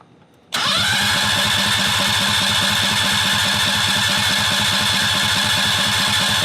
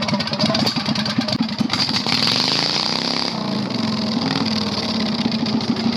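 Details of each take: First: 670cc V-twin Predator go-kart engine, sat for months with carburetor problems, cranked with parts removed; silence, then it catches at once and settles into an even, steady idle with no misses or knocks, normal start and idle. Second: 670cc Predator V-twin go-kart revived after months sitting and carburetor repair; harsh, raw, crackling bark swelling and dropping with throttle, far too loud; running with no muffler.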